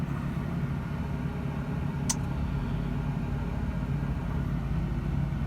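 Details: 2000/2001 Toyota Tundra Limited, about a quarter million miles, warm after a long idle with the air conditioning on in hot weather, temperature gauge holding at halfway; a deep, even V8 rumble with no knocks, misses or surging.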